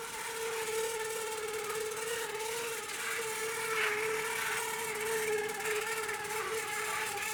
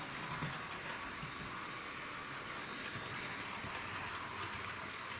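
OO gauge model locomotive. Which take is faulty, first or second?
first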